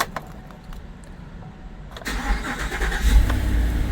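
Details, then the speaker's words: GMC truck with a newly cut key, after three 30-minute security relearn waits, cranks quietly for two seconds then starts cleanly and idles steadily, though the service theft deterrent light stays on; previously a no-start. "And the light's still on, as you can see. It starts up though. It never used to start up before, but it starts up."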